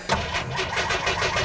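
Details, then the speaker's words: 1987 Jeep YJ, first cold start of the day: starter cranks steadily at about six pulses per second without catching while gas is pumped and held to the floor; hard-starting, then runs well with a slight exhaust-leak tick. "I have to pump the gas a whole bunch and then I have to just hold my foot to the floor in order to get this thing to start it's a difficult starting vehicle"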